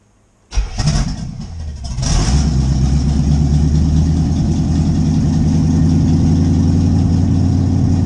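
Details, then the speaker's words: C4 Corvette V8 after carburettor swap and distributor reinstall, first start: brief crank then lumpy, loping idle; sounds and smells too rich, fuel still needs dialing out. "We got some dialing in to do for sure. Sounds like and smells like there's still a little too much fuel, so we're gonna have to pull some fuel out of her."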